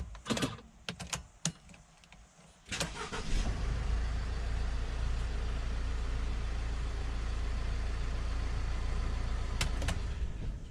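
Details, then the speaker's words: 2006–2012 Mercedes Sprinter diesel van, relays replaced about three months earlier to fix intermittent no-start: a few clicks, then it catches promptly and settles into a smooth, even idle; normal start. "up now you'll see the man starting up fine and it's been starting fine ever since"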